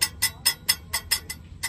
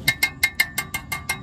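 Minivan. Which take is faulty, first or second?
first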